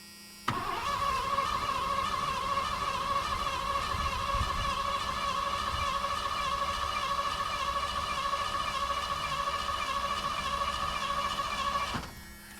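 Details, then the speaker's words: 1986 Ford Bronco 302 V8 after priming the fuel pump: steady starter whine, even cranking about three beats a second for ten seconds, never catches; owner plans to recheck spark. Crank no start. "Uhoh. That is no count. Huh. What are we going to do now?"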